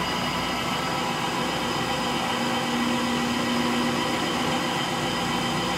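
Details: Frigidaire Gallery front-load washer GLTF1670AS1 on final spin at slower speed: a steady hum with a faint whir and a dull rumble underneath, from worn motor bearings.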